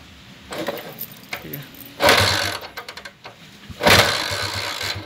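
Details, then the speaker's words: Honda TMX 155 single-cylinder motorcycle after replacing timing gear and cam follower: starts, blipped a few times, settles into clean idle; earlier rough tinny rattle and ticking are gone. Normal idle. "Yan po yung andar niya oh hindi po niya kamukha yung kanina at yung kahapon nawala na po yung ah ano latlat sa loob okay yung magaspang na tunog lata at saka yung lagitik niya nawala na po"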